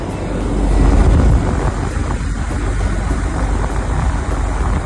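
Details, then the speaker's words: Package AC unit checked after customer noise complaint: steady deep hum, soft even pulse, fan running smoothly, no knocking or rattling; compressor sound normal. "और य सारे okay है fan आवाज कर रहा है fan एकदम स्मूथली चल रहा है मैं आपको दिखाऊ कंप्रेसर की साउंड है"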